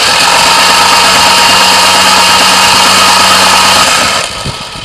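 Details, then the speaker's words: 1973 Duster slant six, sat in a field 20+ years, cranked with spark plugs removed after moving the fan blade: fast, even cranking about three pulses a second, no knocks; turns over nice. "yeah it turns over nice"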